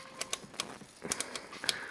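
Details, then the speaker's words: Kenwood/Trio KA-8004 solid-state stereo amplifier, inside view; irregular sharp crackles and pops, seemingly not from the power transformer but from the area below it near the source selector; possible arcing suspected, cause unknown; crackling noise. "Thing is, it doesn't seem to be coming from the transformer, it seems to be coming from down there."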